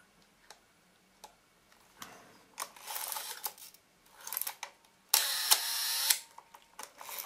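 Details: Makina 67 Plaubel Nikkor 80mm f/2.8 leaf shutter after repair of worn aluminium cocking part with a bronze-spring shim: crisp sharp clicks and short whirring snap, cocks and fires cleanly, working properly.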